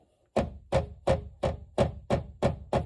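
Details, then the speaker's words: Toyota 1st gen 4Runner removable top interior plastic trim panels: hollow plastic knocks, about three a second, from bare panel against plastic, compared with the side padded with high density foam; trim panel rattle fixed by foam. "And this will be the difference for you. I don't know if it'll pick it up on the camera, but this is the sound. So that side has the high density foam placed in it, and this side does not"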